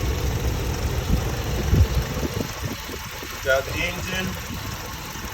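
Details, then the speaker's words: Hemi 5.7 V8 after MDS work, new radiator fitted and coolant filled, idling at operating temperature: low steady rumble, no knocks, ticks or misses; no check engine lights, running well. "all back together got the new radiator coating as you can see and filled it out with coolant so um I got it to operate in temperature everything is looking good so far so good she's running so beautiful"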